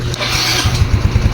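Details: Mio Soul i 125 scooter with a new battery, hard starting worst on early-morning first start: slow, labored starter chugs at about seven or eight beats a second without catching, voltage dropping from 13.1 to 8–10 V when cranking; traced to a poor ground connection.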